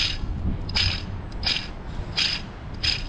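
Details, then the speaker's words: Serpentine belt tensioner removed from a Mercedes GLA 200 and spun by hand: gritty, scratchy rasp pulsing once or twice a second, matching the noise heard continuously in the vehicle; rough tensioner pulley bearing. "I am not Albert Einstein but that pretty much sounds like a rough bearing and the similar noise that is continuously sounding in this vehicle"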